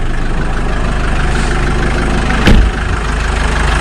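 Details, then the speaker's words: Jeep Wrangler JK 2.8 CRD diesel idling just after oil change and restart: steady even clatter, smooth low rumble, one brief clunk midway; sounds a lot better than before, healthy idle. "now that already sounds a lot better much less battery"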